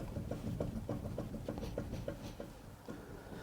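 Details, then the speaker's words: VW Crafter van, wheel rocked side to side: quiet, repeated dull clunks about three a second from play in the bottom ball joint, worn lower ball joint knock that needs replacing. "Don't know if you can hear that. That's the bottom ball joint moving. It's a bit roof."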